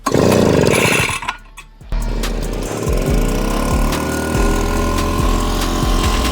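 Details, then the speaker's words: Pollwon PW140 petrol two-stroke sprayer, started with choke then opened and pulled again, throttle mid; catches and settles into steady, even buzz under music; started properly and runs normally. "E'tibor bergan bo'lsangiz, aynan shu holatda siz ham purkagichimizni o't oldirsangiz, to'g'ri o't oldirgan bo'lasiz."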